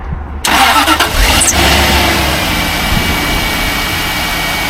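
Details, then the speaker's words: 2002 Jaguar XJ8 Sport (X308), 3.2 litre non-supercharged V8, sat unused for over two years, cold start with bonnet open: short crank, then a steady even idle with no timing chain or hydraulic tensioner rattle; healthy start. "And if it rattles for the first few seconds, then you've got problems with your timing chains or tensioners. That sounds fairly healthy, doesn't it?"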